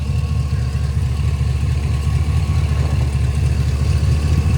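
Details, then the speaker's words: Hot-rod pickup V8 after a power loss and backfire, which the owner suspects came from low fuel and a loose fuel sending unit ring: warm, steady, even rumble idling smooth as glass, healthy. "nothing under still idling as smooth as glass temperature's"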